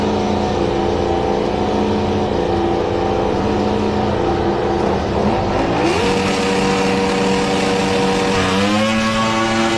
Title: Diesel Runaway #motogp #youtube #runawaydiesel #automobile #shortsfeed #shorts